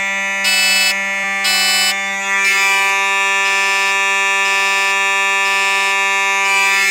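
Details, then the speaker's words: Simplex 4005 fire alarm system test with two Simplex mechanical horns, heard through an open door: one holds a loud, steady buzz without dropouts while the second cuts in and out about once a second. The horns are sounding properly. "Oh my gosh. That was insanely loud. But it sounded good."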